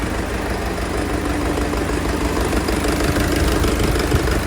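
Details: Heavy diesel tractor started with a fault deliberately injected for a training exercise (a switch flicked up): uneven lumpy idle about three pulses a second, running rough.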